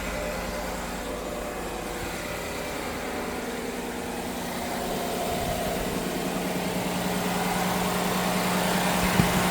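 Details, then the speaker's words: Chevrolet Silverado 1500 after fuel pump replacement, primed over several ignition cycles: steady, even idle with a smooth low hum and no misses, knocks or hunting; running fine, slightly low on coolant. "It's a little low on coolant. Everything's good to go."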